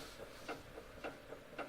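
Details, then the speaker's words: 2011 Cadillac CTS on the ground with the steering rocked side to side: sharp, hollow clunks about twice a second from a worn front lower ball joint, heard before replacement; the tie rod was tight. "when I moved the wheel or the steering wheel side to side I could hear a clunking noise"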